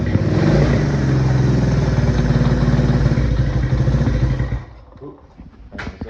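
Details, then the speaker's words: 1979 Honda CT90 after cam chain replacement without pulling the engine, with new seals and sprocket and the chain not yet tensioned. Steady, even single-cylinder putter with no top-end clatter, then shutoff; the earlier cam chain noise is fixed. "That was what that noise was, and that's fixed it."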